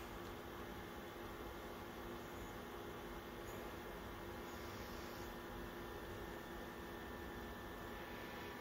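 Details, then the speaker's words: BenQ W1070 DLP projector cooling fan, high altitude mode on at about 87–94 Hz before being switched off: soft steady whoosh and faint hum, no ticking or grinding; sounds normal despite warped blade leading edges causing poor airflow. "and that's with high altitude mode on so i'll turn high altitude mode off and then we should see that drop back down pretty"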